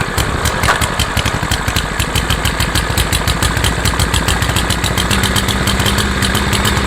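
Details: Craftsman by MTD mower, PowerMore 140cc auto-choke engine, starts then dies: quick uneven pops with slight speed hunting; lazy choke when half-warm, not a fueling problem, settles afterward.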